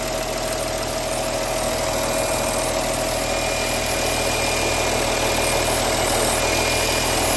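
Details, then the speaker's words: 2015 Porsche Cayenne 958 diesel, almost 110k miles, first start after water pump replacement and coolant refill, warming up: steady even idle with light regular clatter, no knocks or misfires; normal idle, no major leaks. "it's so far so good um that looks like it's running true don't see any major leaks"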